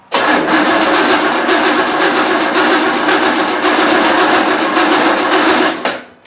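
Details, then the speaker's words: 1972 Buick Skylark with freshly installed 427, first-fire break-in attempt: starter spins steadily at about four pulses a second with no firing, carb wet, timing fully advanced; distributor found installed 180 degrees out, battery getting weak. "all right time for a brief update again as usual every engine ever we've ever done in the history the distributors in 180 out conspiracy"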